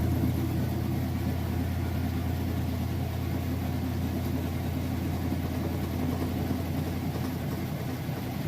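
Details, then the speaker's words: Used Kenmore top-load washer with a heavy jeans and towel load in its final spin cycle: a steady low hum with an even whir and no knocking or scraping, spinning smoothly at full speed. "she didn't hear it's nice and smooth I'll show you that it is spinning nice and fast nice smooth quiet operation"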